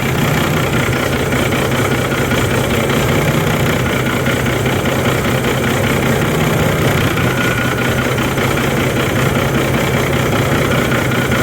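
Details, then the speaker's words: Diesel bus just restarted after fuel filter change, water removal and priming, crud still clearing lines, possibly firing on about three of six cylinders; steady but uneven lumpy idle; rough idle. "be concerned if your bus runs a little rough at first because you're still getting whatever crud through the other lines it may have only started on you know three cylinders or so uh out of the six"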